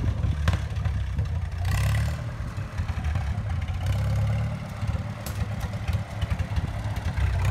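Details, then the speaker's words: 1954 Farmall Super M tractor, hood off, bought at auction as non-running, warmed up with oil pressure pegged. Low, heavy four-cylinder chug that picks up with a little throttle and settles back. Normal running. "take a little movie of it this thing runs great it's unbelievable"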